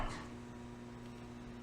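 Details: System 11 pinball machine after installing new board, powered on: faint steady low hum with light ticking; no display, only general illumination, cause unknown.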